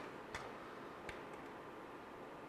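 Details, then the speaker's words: JVC MX-G70 compact stereo CD changer, skipping past track 12 moves to next disc: two faint crisp ticks about three-quarters of a second apart over soft hiss; normal disc change. "starts on the next disc. Let's go back to where we were at here. Let it feed in the disc."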